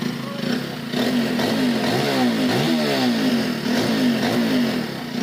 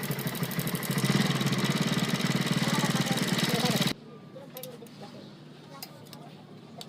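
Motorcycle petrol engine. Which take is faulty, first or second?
second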